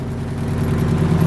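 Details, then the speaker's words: Diesel engine idling just after the primary and secondary fuel filters were changed; it started without extra cranking. A steady, even low rumble with no knocks, misses or hunting; normal idle. "okay fired right up see if uh well doesn't look like we're having any problems pretty sweet"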